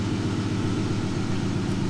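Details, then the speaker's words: Dodge Challenger V6 with the check engine light on. The scanner shows a cylinder 1 misfire and an injector circuit code. Idle has a lumpy, uneven thump with a periodic stumble: cylinder 1 misfire. Spark plugs are to be changed. "Dice el cilindro 1 misfire. ¿Sí? Y dice injector circuit."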